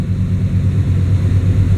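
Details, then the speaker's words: Truck with a stalling problem (owner suspects the torque converter; lockup gone) idling after the IAC valve was cleaned: steady low rumble with a faint rhythmic shake coming and going, which it always had, otherwise smooth and even; idle much improved, runs mint. "Runs freaking mint, this thing. A little shake, it comes in and out. It has a little rhythmic vibration, but it always did that."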